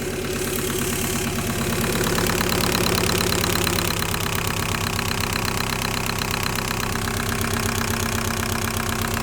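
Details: 1.9L TDI diesel with fuel problem, injectors diagnosed as faulty: sharp rapid fairly regular clatter on the idle beat, louder than normal diesel rattle; heavy knock at idle from injectors.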